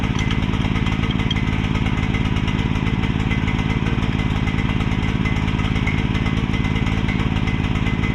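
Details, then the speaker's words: Mini excavator small engine with a pull start fitted: steady, even single-cylinder putter at fast idle with no misses or knocks; normal running. "So, as y'all saw, it runs. Um, you get a better view here now of the pull start."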